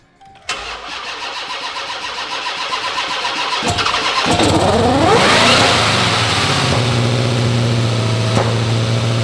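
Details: 1200 hp Hemi's first-ever start after installing a Holley fuel system, Kooks stainless exhaust, driveshaft and diff brace: the starter cranks a few seconds, then it catches with a rising bark, revs briefly and settles into a steady lumpy idle.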